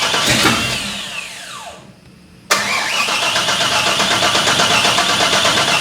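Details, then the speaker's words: 7.4 big-block in a 4x4 El Camino, after fixing miswired ignition coils on one bank; starter cranks at a steady even beat without catching, a no-start later traced to a misplaced cam sensor. "yeah [Music] well maybe next time it'll start on the first time"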